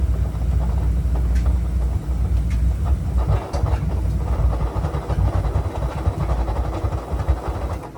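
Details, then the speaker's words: Oil-fired boiler burner started up: a deep steady roar turns uneven and pulsing with a strange noise, then it begins to shut itself off and fades. The burner is running rough and losing its flame. "Se escucha un ruido raro ahí. Ahí se escucha un ruido. Y ahí se empieza a querer apagar, vean, vean."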